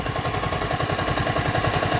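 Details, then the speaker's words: Yamaha Vixion (old model) hot idle after 10 minutes warm-up, following replacement of water pump seal and bearing; steady, even pulse with no squeal or chirp from the pump: normal hot idle. "Nah, ini mesin udah panas. Aman, tanpa suara decit-decit ya."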